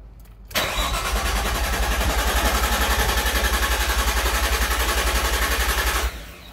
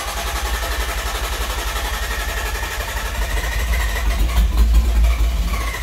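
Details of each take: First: R33 Skyline GTST after cleaning gunked idle air control valve and resetting its screw: even cranking near four turns/sec for five seconds, engine never catches; crank no start from misadjusted idle air control screw, owner plans to back screw out. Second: R33 Skyline GTST after cleaning gunked idle air control valve and backing the idle screw out: engine catches, coughs and sputters a few seconds with a little throttle, sounds rich, then settles into a steady low idle; normal start, warming up.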